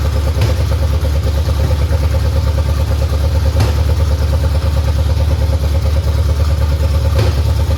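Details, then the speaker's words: 1989 Mustang GT 5.0 carbureted V8, high-mileage stock shortblock, GT40 heads, mystery cam, longtube headers, just restarted after fuel pump hookup: deep steady burble through open pipes, even firing, no stumbles or knocks; normal idle. "Man, this sounds pretty snappy too. All right, man. Woo! Man, fired right up too."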